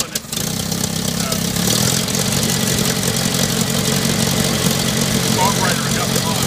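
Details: Later-model IH Farmall Cub tractor before tune-up, choke linkage disconnected, battery found dead: uneven lumpy idle with irregular firing and ragged exhaust beat; running real bad, needs tune-up.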